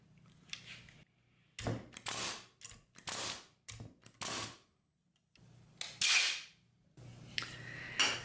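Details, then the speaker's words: Porter Cable FN250C 16-gauge nailer test-fired on air after a trigger-valve repair that replaced the original wax O-rings with regular rubber O-rings: several sharp, crisp pneumatic shots with short air bursts and no leak hiss between; normal firing. "so we got air here's our test bed and there you go we got it working"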